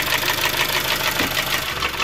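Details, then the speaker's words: 2003 Honda CR-V K20A4 after a valve adjustment; the knock began after hard, high revving: a steady fast light knock over the idle, unchanged; owner now suspects a rod or bottom-end problem, not confirmed. Engine knock. "now I'm starting to think it sounds like a rod or something is moving around down there okay anybody any ideas yeah it still sounds the same there's still that same"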